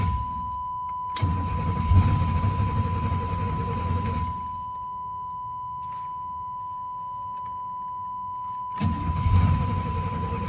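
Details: 1996 GMC 1500 with 305 V8: two bursts of steady, even starter cranking at about four beats a second, with a door chime in the background. The engine never catches. Crank, no start.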